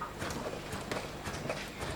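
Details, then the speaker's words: Honda Forza 350 scooter rear shocks, after preload adjustment with the stock tool (rider 80 kg): irregular hollow clunks and squeaky knocks on each push of the rear suspension; owner suspects the shocks are simply poor. Cause not confirmed. "and you can kind of hear them they're still making noise like they're just not good shocks"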